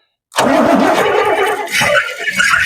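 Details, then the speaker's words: Big-block 1971 Cadillac Sedan DeVille, parked since 1986, fires on fuel spilled into the carburettor and runs rough for a couple of seconds, sagging as it burns off; not drawing from the bowl. "I mean, that sounded great. It didn't pull off the bowl, though, right? Did not. That was just what we spilled down."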